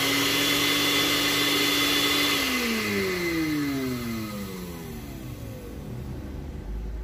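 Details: Blender after repair, with the blade reassembled and tightened without play. A steady high motor whine at even speed, then the pitch slides smoothly down as it coasts to a stop; it spins freely, a normal run.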